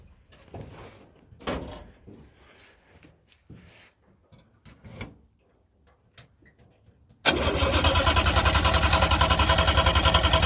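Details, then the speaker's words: 1958 DKW pickup, front-wheel drive three-cylinder two-stroke (oil mixed in gas), first start after sitting a long while: starter churns evenly three or four pulses a second, never fires; plenty of gas in tank, fuel delivery problem suspected. "run won't hear any fire yet I wonder if there's any gas well we're going to check the petrol there's lots of gas there"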